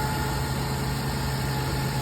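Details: 2002 Toyota Tundra 3.4 5VZ-FE V6 with a year-and-a-half intermittent misfire, after replacing seized 22-year-old spark plugs and sleeving the stripped cylinder two thread: smooth, even idle with no stumble or skipped beats, firing on all cylinders; problem solved.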